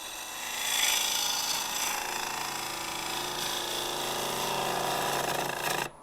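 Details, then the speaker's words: Lathe turning a dry, highly figured English walnut bowl: rough, uneven rasping about four times a second as the gouge jumps off the bevel. Chatter of unknown cause; a smaller bowl gouge may be tried. "You can hear that jumping around. I'm not quite sure."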